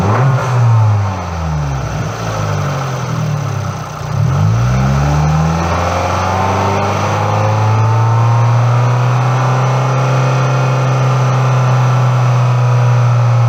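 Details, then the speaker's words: MultiAir engine revving up and down, then settling to a steady hum: sudden valvetrain rhythm changes as the unit switches from late intake valve opening to full lift at about 3,000 rpm, normal operation. "there are sudden changes in valvetrain rhythm as you move up and down the rev range this is closed by the multi-unit changing modes in this case from late intake valve opening to full lift at about 3,000 rpms"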